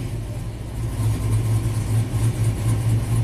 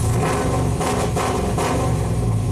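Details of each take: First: 2000 GMC Sierra 5.3 V8, tuned with cam and exhaust, after codes cleared and crank relearn: steady V8 drone at raised revs, even pulses, no misfire; the P0336 misfire was a new CKP sensor pushed out of place by rust in its bore. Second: 2000 GMC Sierra 5.3 V8, tuned with cam and exhaust, warmed with throttle after sitting weeks: rough uneven revs with stumbles, sometimes won't rev up; crank sensor performance code P0336, not circuit code P0335, despite new OEM sensor.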